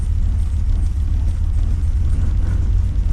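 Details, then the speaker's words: Holden VX SS Commodore with rebuilt 4L60E, in neutral, warm with temperature near half; deep even idle, rpm creeping up slightly, no knocks or roughness; idles fine. "okay so that's neutral and you can hear the RPM's going up a little bit temperature's up as well it's kind of pushing half uh so that's idling fine"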